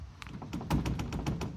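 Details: Chevy/GMC Multi-Flex (Multi-Pro) tailgate rattling while driving: quick, uneven hollow clacks about five or six a second over low road rumble, before fitting a tailgate sealing kit.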